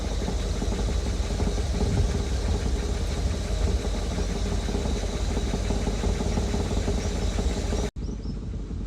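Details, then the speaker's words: Rolls-Royce, fully warmed idle: light irregular metallic tapping over steady engine note as hot exhaust knocks against the chassis; goes away under load or rev change, needs small exhaust adjustment. "so yes that annoying little r battle as soon as you put any load on the engine or change the Rev slightly it goes away but yeah once exhaust is properly hot it's constantly just rattling away"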